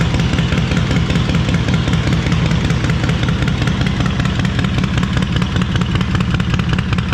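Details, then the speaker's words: Stone-cold start of a 131ci Harley Breakout V-twin (just over 140 hp) after a Screamin' Eagle high-volume oil pump and cam support plate were installed and pushrods were preloaded 100 thou and bled down. A deep, loud lope at about 2.5 beats per second, steady and even. Normal cold start and idle. "So let's fire it up for those who haven't heard it. And it is stone cold, guys, so she's ready to fire straight up."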